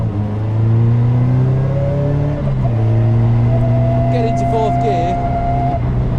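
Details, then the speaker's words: Caterham on a freezing November drive, in the 1:1 direct gear: low engine drone and buzzy vibration rising and easing with road speed, typically coming on when slowing; normal direct-gear gearbox vibration. "which typically comes on as you're as you're slowing down and it's usually worst in whichever ratio is one for one so with a 5-speed gearbox your fourth gear is a one for one ratio and in a six-speed gearbox it's six gear"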